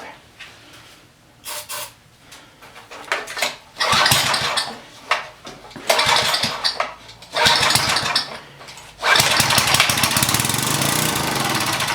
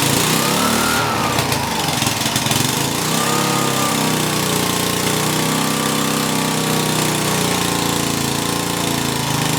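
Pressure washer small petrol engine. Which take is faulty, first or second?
first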